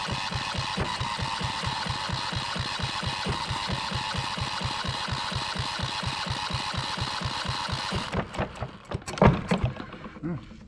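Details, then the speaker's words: Yanmar 1GM single-cylinder marine diesel from a sailboat, cranked while checking for fuel at the injector (no fuel seen at first): even thumping crank about three to four strokes a second for eight seconds, never catches; cranks, no start; fuel supply suspected. "kind of a bummer it's not starting okay what we're trying to do is we're trying to see if there's any fluid coming out here through the injector"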